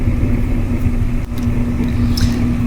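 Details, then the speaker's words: Kenmore gas dryer after noise repair with new drum support wheels: smooth, steady low hum, even tone, no clicking or squeal as drum turns; running normally, like new. "so now when we test it it's really smooth no clickety click sound it just sounds like brand-new"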